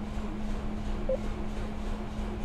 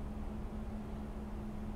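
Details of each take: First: 2007 Toyota Yaris, brought in for a shaking dead-miss idle, started with a jump pack connected: petrol engine now idles with a steady, even low hum, no stumbling or shaking, and a slight belt screech; normal idle. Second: 2007 Toyota Yaris petrol engine, about 150,000 miles, idling very low and unevenly below 300 rpm, nearly dying, with heavy shaking, flickering battery light; fine when revved; suspected very dirty throttle body.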